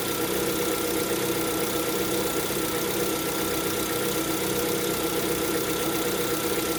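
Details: Lada Vesta at 11,000 km, cold idle: steady light tapping from the bottom end, described as piston knock on a cold engine; piston slap.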